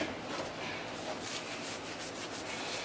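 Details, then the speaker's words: 1980s Hoover Concept One U3101 upright vacuum during rebuild: hand-spun brush roller gives a soft, even whir with no grinding or clicking. The needle bearing is smooth and spins freely, which is normal. "want to hear how smooth that bearing is see how like the try flaunted I just want to see how that needle bearing did"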